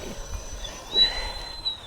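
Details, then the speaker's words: Traxxas TRX-4 with Castle Sidewinder 4 ESC, Holmes Hobbies Revolver 1800 kV sensorless 540 motor, 3-cell LiPo: high thin electric scream near one pitch with throttle-blip surges at top end; motor spinning freely, normal. "hear that top end scream of the Sidewinder 4. Pop her in second gear."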